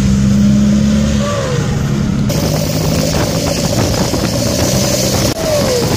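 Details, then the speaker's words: Seat Toledo 1.9 TDI diesel with a badly holed exhaust pipe: loud raspy revving, blatty note and a pop when the throttle is released; exhaust leak, owner plans to weld the pipe. "su prakiūrius dūle žiūriu mano siatas įgavo tokių sportinių garsų nežinau kažkaip reikia pamėgint parodyt žodžiu spaudi gazą ir kai atleidi toks poovą kaip suveikimas"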